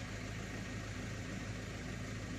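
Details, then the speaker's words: Ford Ranger diesel that had black exhaust smoke when accelerating, now idling after its injectors were serviced, with the original fuel filter and a diesel cleaner added: a steady, smooth low rumble with no knocks, misses or hunting; the idle is good. "Right, you hear the vehicle running. The idle is good."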